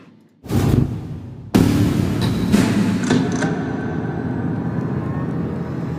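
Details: V8 on dyno at full-throttle pull, testing a budget fuel pump against others; deep roar with strong, steady pull and no stumbles, fuel pressure about 6.7, dipping to 6.2, finishing 6.4; healthy, well-fed engine.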